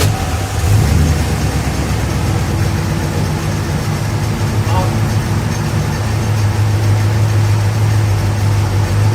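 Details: 1969 Plymouth Fury III V8, first start in about a year with new exhaust and electric fan, leaking from front; deep steady idle burble, even beat, no misses or ticks; healthy idle.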